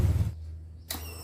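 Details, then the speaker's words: Honda Beat FI scooter that stalls with no spark and no injector spray when cranked; at key-on, a brief steady low hum with faint high whine from the fuel pump: normal priming. "Nah, ini dia dengung ya. Apabila di on-kan kontaknya, dia langsung dengung di bagian full pump."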